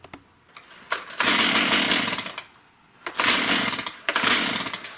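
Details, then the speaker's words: Stihl MS194T chainsaw that runs poorly, at startup. It catches in short uneven bursts, then sags and dies with a thin, muffled bark; far too quiet with little exhaust, plugged spark arrestor screen suspected. "Now, the first thing I'm noticing from years of experience here is the saw is way too quiet when it wants to start. So, I'll try to replicate that so you can hear it. There's hardly any exhaust coming out."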